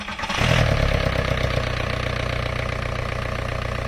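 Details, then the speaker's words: VW A4 ALH TDI diesel that died while driving, after timing belt inspection: cranks briefly, catches fast, settles into even, steady idle clatter, then a little revving, with no misses or knocks. Motor sounds good; water pump next. "Yeah, so motor sounds good."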